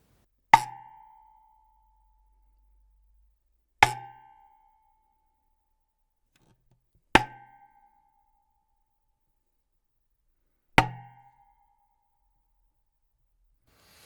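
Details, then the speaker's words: 1970s Ludwig 12x8 Jazzette tom shell tapped before packing the lugs, tension rods and dampener off, mount tightened: four taps with lingering metallic lug-spring ring, long decay, and slight rattle from loose lug inserts. "quite metallic, and there's quite a lot of decay there. There is a slight rattle, which is obviously, like I say, the looseness of those inserts."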